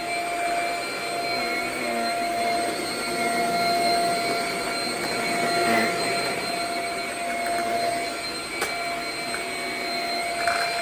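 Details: Shark Rocket stick vacuum after service and cleaning: steady high motor whine with clear, even airflow hiss throughout; now breathing better and pulling air freely, issue fixed, running normally.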